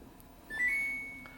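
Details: Samsung AddWash WW90K6414QW washer: one clean, high-pitched beep about two-thirds of a second long over a quiet room when pressing the Smart Control key; normal key-press confirmation beep.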